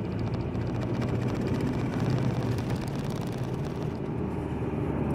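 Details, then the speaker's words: 1.9 TDI diesel jerking between 2,800 and 3,000 rpm: heavy, lumpy drone with rough uneven pulse, running on only three cylinders; wiring in cylinder head suspected. "das auto läuft nur auf drei titel ja und da muss ich jetzt wieder den fehler auf die schliche kommen"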